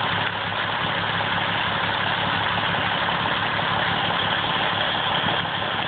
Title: Lola's massive vacuum leak!